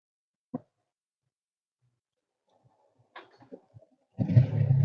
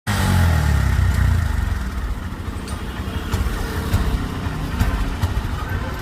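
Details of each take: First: Honda SP125 with check light and random multiple-cylinder misfire code: with the faulty adapter removed and connected directly, a click then the engine starts well and settles to a steady, even idle; the adapter was the fault. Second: Honda SP125 motorcycle idling roughly with uneven stumbling misfire beats; malfunction light was on and OBD showed random multiple cylinder misfire, traced to a bad connection.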